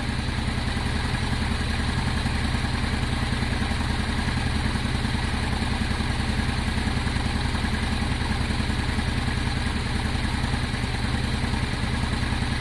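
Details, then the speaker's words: Honda Deauville after a carb clean with the fuel pump likely now working, warming up to temperature: steady, even idle with a smooth, regular beat and no knocks or misses; healthy warm-up. "let it get up to temperature, let the oil circulate. It's revving very smoothly."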